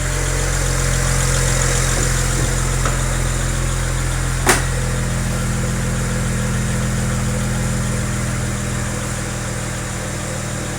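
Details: BMW 335i at idle, warming up, with one overly loud fuel injector, number 6, making a faint quick lifter-like ticking about four a second; ticking gets quieter as the engine warms.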